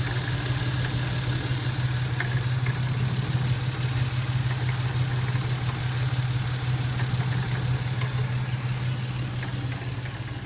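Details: Lexus SC300 petrol engine idling steadily with a light, irregular metallic rattle from the front of the engine bay; cause unknown.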